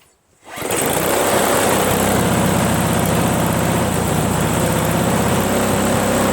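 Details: Craftsman 522 four-cycle single-stage snowblower, after draining water from tank, cleaning carburetor, replacing fuel lines and primer hose, choked, shrouds off: catches within a second, steady even single-cylinder drone, no misses or surging; running healthy.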